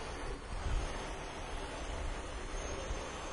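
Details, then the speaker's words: 2004 Mazda Tribute with no compression after overheating, leak-down test on the second cylinder head: steady heavy rush of air escaping past an intake valve that won't seal, full leak-down, not felt on the adjacent cylinder. "All right, see we got full leak down. This is coming out of the intake for sure."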